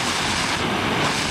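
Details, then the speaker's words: Oxy-fuel cutting torch, gas set until smokeless then oxygen until cones match: steady roaring hiss with fine even crackle, meaning a clean sharp tip; normal well-adjusted flame (too much oxygen turns cones light blue). "Crackling means your tip's really sharp."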